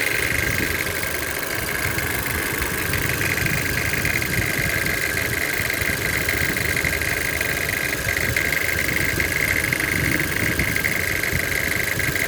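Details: Toyota C-HR 1.2 turbo engine idling: a light, fast, fairly constant metallic rattle over the hum. The source is not pinned down.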